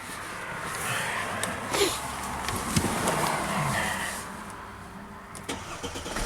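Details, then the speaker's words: Mercedes car no-start fixed by fitting a missing 20 amp fuel pump relay fuse: over street noise the engine catches and settles into a steady, even idle with no misfire or knocking; clean start. "Woo! Hooray! Fixed. This is easier than a motorhome."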